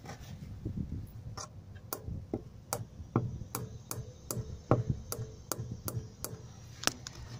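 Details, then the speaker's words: Jeep XJ with long-standing passenger-side clicking: sharp, regular ticks about twice a second over a low vehicle rumble, similar to driving on gravel; source found, not stated. "for a long time my car has been making a clicking noise on the passenger side couldn't figure out what it was"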